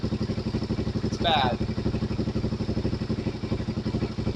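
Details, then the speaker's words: Suzuki DRZ400 with 40k miles at idle while adjusting the manual cam chain tensioner (MCCT) by hand: a chunky chugging clatter about four times a second over a steady idle as the tensioner is backed off, meaning a loose cam chain. "making that noise. Don't go any further back. But you can hear it starting to make a chunky noise."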